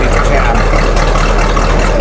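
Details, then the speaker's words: 1985 Chevy K10 Silverado carbureted V8 with a 650 Edelbrock carb, heard where the exhaust dumps out: after the idle screw is adjusted, a loud, even low rumble holds steady with no howl or hunting; idle sounds good. "I got that idle adjustment on the pedal set where I think I want it. It sounds a lot better than it did. It's not screaming at me."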